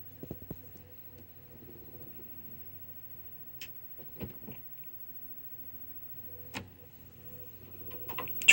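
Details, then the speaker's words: Toshiba SD-V296 VCR/DVD combo loading an audio CD: quiet motor hum with scattered sharp clicks every second or two as the drive struggles to spin up and read, eventually showing a disc error. "hear that clicking you know that clicking is a sign that has a higher chance of working again"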